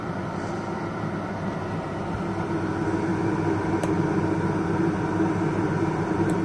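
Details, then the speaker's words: Pulsar PG2200BIS dual-fuel 2200W generator powering a Coleman 13.5k BTU low-profile rooftop AC on a Geo Pro 19BH, no hard-start capacitor or modifications; steady drone firms up and slightly louder as the compressor kicks in, no stumble or surging; normal running under load. "you can hear the compressor start to run and the air is already called much colder than the fan certain"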